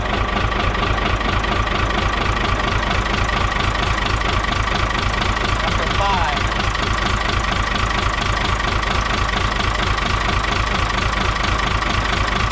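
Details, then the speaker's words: Isuzu 6BB1 5.4L diesel in a 1975 Chevy stepside, injector lines cracked one at a time: lumpy idle with uneven chuffing about twice a second; loosening #5 changes nothing, cylinders 3 and 5 not firing, injectors suspected. "Number five is getting good fuel, but disconnecting it does nothing. That does nothing."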